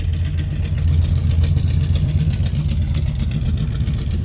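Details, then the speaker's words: 1967 Chevy Caprice that sat 17 years, first start-up: a deep, lumpy, irregular idle; it needs a tune-up, timing suspected way off since it's grumpy to start; slight ticking up front maybe the water pump; passenger header smoking from a drip. "It clearly needs a tune-up. Needs to be adjusted. Pretty sure the timing's way off because it's a little grumpy to start."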